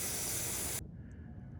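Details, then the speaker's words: Garden drip irrigation line under pressure: a loud steady hiss of water spraying from a slice in the tubing, then cut off. Fixed by cutting out the section and fitting a new coupling. "but do you hear that there it is there's another one you can see it's a bit of a slice so again we're going to have to cut it and put a new coupling in"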